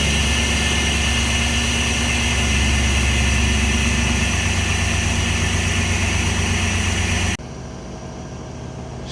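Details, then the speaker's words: 1996 Chevrolet K1500 Silverado after repairing leaky K&N intake and MAF couplers, microphone under hood near intake: steady, even low rumble at idle, no misses, stumbles or hiss, no leaks felt; healthy idle. "sounds happy and healthy I've been feeling around I don't feel any leaks"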